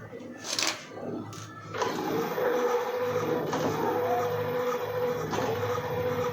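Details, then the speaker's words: E-bike hub motor under throttle, wheel spinning: a steady whine keeps cutting out briefly every couple of seconds, then resumes; caused by uneven charge across the battery pack, with one weak battery. "Umaandar siya. Pero parang lumalaga to parang parang humihinto siya ng temporarily yung panali ang hinto tapos andar na naman to's hinto na naman."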